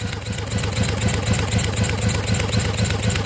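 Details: Yamaha 225 outboard during rebuild, bench compression test, cylinders reading about 110 psi: steady even cranking about four beats a second, no weak or missing strokes; normal consistent compression.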